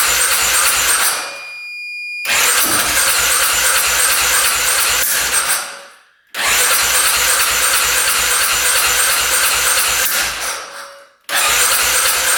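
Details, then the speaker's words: 2010 Polaris Sportsman 550 EFI ATV that hadn't run in years, cranking right after a clogged case breather line was cut: long even starter runs about three turns a second, seeming to want to catch but not starting. "Sound like wanted to go there for a sec. Keep on going with it."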